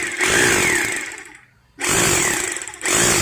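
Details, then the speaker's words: Maktec MT870 rotary hammer after repair: motor whine with rough, fast rattling buzz in bursts, vibration now present; normal hammer action, drilling works again, whereas before it ran smooth with no hammering. "Nah suaranya ini sudah terdengar kasar ya bukan kasar rusak yah tapi ini kasar menandakan bahwa Hammer nya itu udah berjalan"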